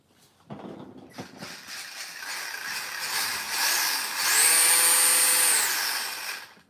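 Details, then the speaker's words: Electric RC car with single electronic speed control, Team Losi 2.4 GHz radio, dual servos, run in reverse: high-pitched motor whine builds, holds even, spins down cleanly with no grinding; runs well, does burnouts. "And it's reverse. I already drove it outside. It honestly runs pretty dope."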